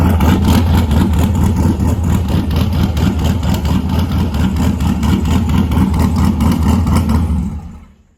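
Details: LS1 ute with new cam and upgraded Aeroflow 78/75 Gen 2 turbo and freer-flowing exhaust housing, idling in an echoing shed; steady even V8 idle with loud boomy exhaust, no misses or knocks; loud healthy idle.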